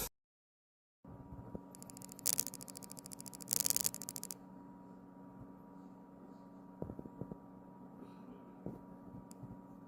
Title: Samsung s25 ultra camera function : Camera has strange noise and focus is very shaky